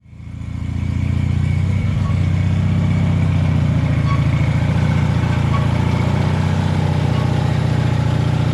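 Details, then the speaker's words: Taurus 650: catches and holds fast steady idle well above normal, taking off; throttle not returning due to missing return spring, fixed by linkage repair. "I got to figure out how to adjust the Idol on this thing before I kill myself it's too silent like way too high and it takes off on me"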